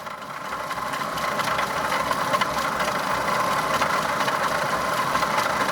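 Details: Opel Omega B petrol engine idling with a loud, rough whirring whine near 1 kHz from a damaged water pump bearing; the pump is removed and its housing cleaned.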